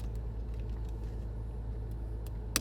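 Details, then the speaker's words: Porsche 986 Boxster convertible top running after the top switch was refitted with its rear tabs seated correctly; steady low motor hum with one click near the end; normal convertible top operation. "It works. At least it sounds like it."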